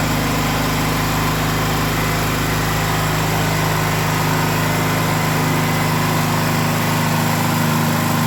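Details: Gasoline generator that would not start and shut off after 5 seconds, now holding a steady, even drone with no surging or sputtering after the fuel hose, pinched between the air-vent frame and engine frame, was freed so fuel reaches the carburetor; normal running.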